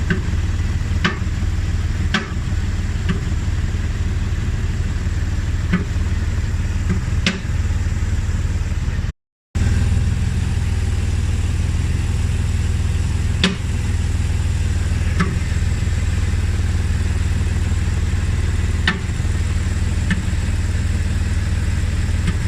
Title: bmw e60 knocking sound! anyone know why?